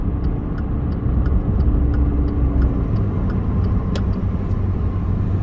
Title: When I accelerate too fast it studders and makes clicking sound.